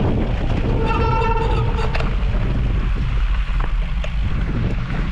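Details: Disc brake squeal from a Sram Centerline rotor: a short tonal squeal about a second long rising over heavy wind rumble as the brake bites.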